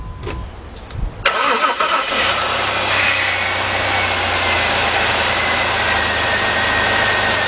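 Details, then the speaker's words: 2003 Jeep Liberty Sport 3.7 after a partial engine rebuild, key cycled to prime the empty fuel system: the starter cranks and the engine fires cleanly into a steady, even idle with no knocks or misses. The tensioner pulley was later noted to sound off. "that sounds that sounds really good"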